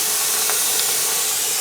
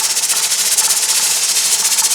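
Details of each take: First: Presto pressure canner holding 7 quarts of potatoes, venting before the weight goes on. An even, steady hiss of steam comes from the vent with no sputter, the steady plume that starts a 10-minute vent. This is normal venting. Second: Presto pressure canner holding 7 quarts of potatoes, stove still on high: loud steady steam hiss with a rapid, even chuffing as the weight rocks too hard; left on high it would run out of water and pressure, so the stove is about to be turned down to about 7.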